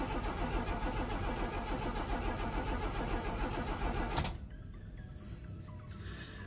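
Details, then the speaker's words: 1979 Opel Monza series 1 barn find, first start attempt after fuel tank install: steady starter cranking about three turns a second, never catching; firing order and timing checked, but no fuel reaching the rail from the main feed. "fuel however we're getting no fuel up to the rail we popped off the main feed down here and we we've turning the engine over no fuels coming out"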